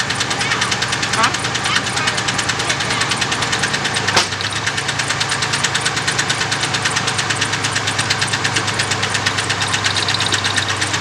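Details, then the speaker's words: 1998 Ford F-150, 4.2-liter, idling choppy with a recurring stumble under a steady drone; misfire persists on cylinder number six, cylinder not yet confirmed faulty, spark plug to be pulled next. "all right guys so we definitely still got a problem with number six now that doesn't necessarily mean something's wrong with the cylinder right now"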